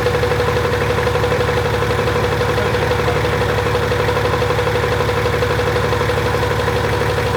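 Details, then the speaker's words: Nissan Patrol with a replacement TD42 diesel (previous one had cracked pistons and head), first run after not running three years; even idle with a steady beat of about ninety a minute and a hum riding on top. Abnormal noise, cause unknown. "all right well we can't figure out the noise at the moment but we're going to call it here it's uh running and driving yeah doesn't sound very good but just yeah that noise if it wasn't for that noise it would sound perfect"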